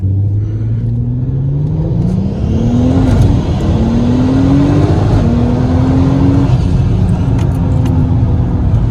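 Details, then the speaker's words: MK5 Golf R32 Turbo (VR6) at just over a quarter tank, after fitting new fuel pump in second-hand sender: engine pulls cleanly through rising gears under boost, no cut-outs or pops; fuel starvation under boost fixed. "let's give it a quick go and see what it does ready yeah definitely no issues there so I would say there 100% solved my fuel start basing issue"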